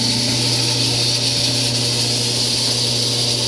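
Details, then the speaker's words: Frigidaire-built Kenmore electric dryer, about ten minutes into a heat cycle: loud hum with high-pitched whine, bearing-like; quiet on air fluff, noise only when hot, traced to the blower wheel. "but it's starting to hum really loudly and kind of make a high-pitched noise at the same time [Music] so now it's been about ten minutes and this thing sounds like it's about ready to blow up"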